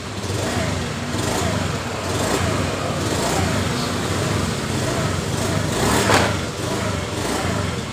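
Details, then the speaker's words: Honda Beat FI scooter, kick-started with no fault code shown: idle is normal, but under throttle the revs rise and fall unevenly, sometimes clean and sometimes stumbling. Engine hesitation. "ini terasa terkadang normal dan terkadang juga brebet sama video-video yang sudah pernah saya upload beberapa hari ini dengan keadaan motor terkadang normal dan terkadang juga brebet"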